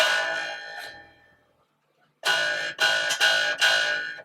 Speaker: really annoying isn't it um there could be a number of things that's causing it but I know it's none of the other things it's to do with brake angle over the back of the nut